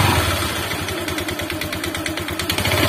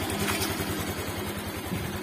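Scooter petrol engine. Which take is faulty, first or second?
first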